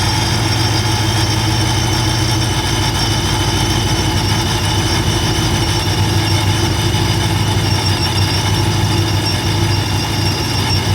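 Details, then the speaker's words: V8 at first startup with a brand-new TorqStorm supercharger and intercooler, still in break-in: loud steady idle with a faint even high whine on top, not very loud; normal supercharger whine. "I mean you definitely hear the whining noise and it's you know still brand new it's still got break-in but it's really not that loud"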